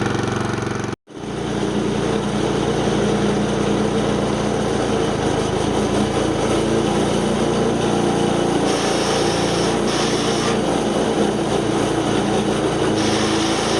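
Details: Wood chipper's small single-cylinder petrol engine after new belt fitted; starts and runs steady and even, belt engaging with no slipping or squeal.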